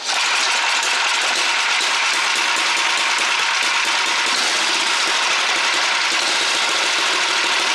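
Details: Super Bronc minibike, small engine believed to be about 8 hp, said by its previous owner to be no good, started on about half choke with a roughly set carburetor: a fast, buzzy single-cylinder rattle holds steady with no misses or surging.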